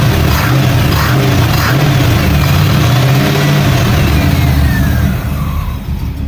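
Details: 1989 Camaro V8 on a rebuilt Edelbrock carburetor, first start in 13 years. Deep burble with strong revs that rise and settle cleanly, then ease back to a smooth, even run; normal running.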